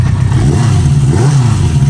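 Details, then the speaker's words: 1973 Honda CB350 Four, new spark plugs, fresh gas, new handlebars: quick throttle blips rising and falling cleanly, smooth even exhaust note, no stumbling; runs decently without choke. "all right so you can see we got the new handlebars on um he's running pretty decent um no choke"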